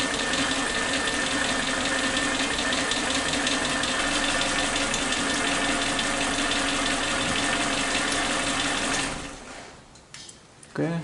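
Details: Katana car with unstable idle rpm: lumpy idle, uneven pops two or three a second and wavering speed; misfire traced to worn spark plug wires.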